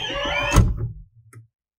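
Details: 2007 Toyota Avalon rear sunshade (curtain) after repair with no new parts; it had been stuck up and would not respond to the switch. Smooth, steady motor whir ends with a soft thud at the stop, then silence; the shade now travels normally.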